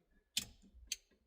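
Engine off, quiet cabin: crisp relay ticks about twice a second, steady and even; flasher relay and circuit are working.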